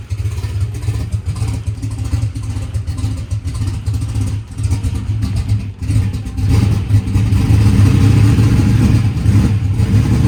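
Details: Drag race car engine after a huge backfire locked it up, with a new fuel pump fitted and a missing tooth on the flex plate: a lumpy, loud V8 idle with throttle blips and steady firing, no knock. The engine sounds okay.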